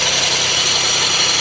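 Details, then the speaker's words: Auction car at idle with non-working AC: a hissy, rubbing rush that never lets up over a quiet idle, coming from the AC compressor low in the engine bay; the noise was newly appeared. "I think it's the air compressor. You probably can't see it, but the air compressor resides right down there."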